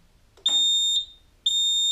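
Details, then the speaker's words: Roma Sorrento mobility scooter after throttle potentiometer replacement and centring adjustment: clean high beeps about half a second on and off, steady in reverse with no cut-outs or status-light fault flashing; normal reverse beeper. "And this time it's working in reverse. It's not cutting out and flashing again as it did before."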